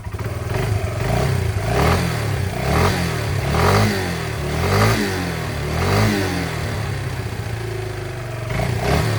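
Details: Yamaha Breeze 125 (Grizzly 125) quad, first start after two years in storage, fresh fuel and choke on: single cylinder revs up and falls back in steady waves, firing cleanly throughout; runs fine after sitting.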